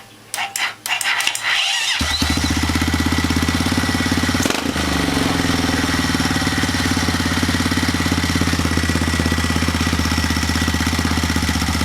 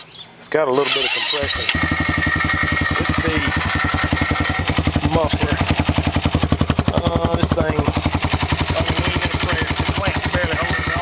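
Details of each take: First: 2010 Honda Rancher 420 bottom end with a 2020 Foreman 520 cylinder, stock 420 fuel system and 53% gear reduction, on first start with a weak starter. Slow cranking, then a fast, lumpy single-cylinder idle with a rattle from the rear; cause not yet found. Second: 2010 Honda Rancher 420 with a 2020 Foreman 520 cylinder, stock 420 fuel system and 53% gear reduction, after the earlier bad rear rattle was found and fixed. Short crank, catches quickly and settles into a steady, even single-cylinder idle with no rattle. Normal idle.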